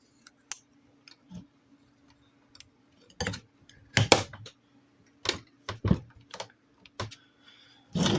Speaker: it still works now there is a problem with this in its current state it's great it does work all i' be it I think it's got a little bit of a sticky meter but that's to be expected